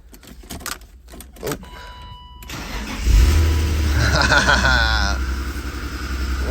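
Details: BMW E36 328i, 5-speed, abandoned over five years, first start after replacing the dead fuel pump; a few quiet seconds of cranking, catches near three seconds, settles into steady idle. Battery light on; engine slightly ticky, then quiets.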